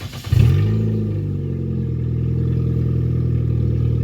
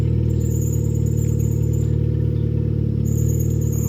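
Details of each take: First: 2005 Nissan Sentra on ramps after swapping in a junkyard power steering pump and fixing belt slack: the engine catches and runs smoothly with no belt squeal. Power steering works; the engine jumps due to a missing lower torque mount. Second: 2005 Nissan Sentra on ramps, its power steering recently repaired but failing again: steady engine hum with a thin squeal coming and going as the steering loads up; a loose power steering belt needing tension is suspected.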